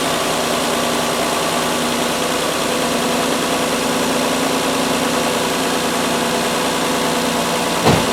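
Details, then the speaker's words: Mazda 626, stone cold engine, after replacing a badly worn 19-year, 125,000-mile idler pulley plus the other pulley and both drive belts: smooth, even cold idle, much quieter, no squeal, rattle or knock from the belt drive; normal idle. "Yeah right away I think you can hear that is a world of a difference much quieter than it was last time"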